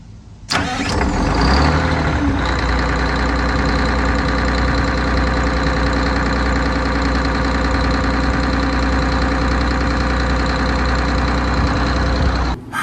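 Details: MCI MC9 bus diesel after replacing the starter with a modern gear-reduction starter: short clean crank, catches quickly and settles into a steady, even idle with no grinding or misses; normal start.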